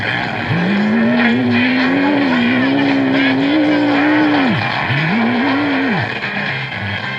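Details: 1939 Emerson AM radio tuned to a broadcast: warbling whistle slides up and down beneath the audio, drops out and returns; owner first suspected a bad AVC capacitor, finding is intermittent noise from a loosely seated tube making contact.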